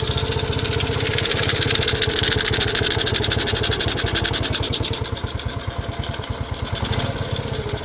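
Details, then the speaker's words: Restored Honda CT90 at idle, fuel mixture screw not yet adjusted: small single popping along steadily about three beats a second with an airy intake sucking hiss; mixture adjustment planned. "hear it sucking in a little."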